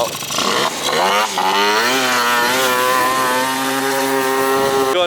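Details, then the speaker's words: Malaguti F12 70cc two-stroke scooter revving from a ragged idle to a flat plateau, running out at about half the rpm; owner first likens it to an electrical cutoff, then, adjusting the screw, calls it a fuel issue. "they had an electrical issue and it basically cut off like half the rpm and that's what it feels like it literally sounds like you get to like six and it revs out"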